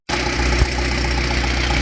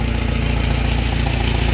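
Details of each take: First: 2012 Chevrolet Cruze 1.4L turbo petrol after a head gasket job, still burning off oil: steady idle with an even low hum and no misfire on startup; normal idle. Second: 2012 Chevy Cruze 1.4L turbo idling on its first start after a head gasket job, still burning off oil: fast, sharp puffing tick from an exhaust leak where a clamp broke in half, right by a coolant hose.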